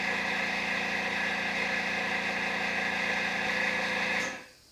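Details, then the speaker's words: No-name hobby air compressor on a tank, recorded via shotgun mic: steady motor hum with fast, slightly uneven clack about three or four a second, worse toward end of cycle until it cuts off; internal clatter developed over recent months. "in the past few months it's done this like clackety thing especially as it gets towards the end of its cycle"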